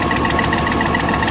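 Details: 2001 GMC Sierra 1500 HD V8 (LS-family) at idle: fast light ticking in time with firing from exhaust manifold leak caused by snapped factory manifold bolts from thermal expansion; before fitting Dorman 917-107 manifold clamp, which greatly reduced exhaust noise.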